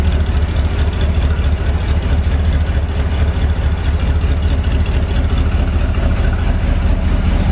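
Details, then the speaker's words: Barn-find 1970 Corvette V8, first start after sitting 10 years, run from a gas can: deep, slightly uneven idle with faint puffing from a suspected exhaust leak. It also has a miss, oil pressure is near 70 psi instantly, and there is no smoke. "an exhaust leak I can't believe it idles that's sitting for 10 years in it idles definitely missin though"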